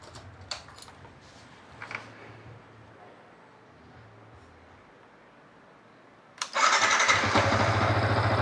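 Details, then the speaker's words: Yamaha MT15 near 40,000 km after new spark plug install during service: quiet, then clean quick start into a steady even idle, no rattles or misfires; normal start and idle. "So tak ada bunyi apa yang pelik-pelik, so settle."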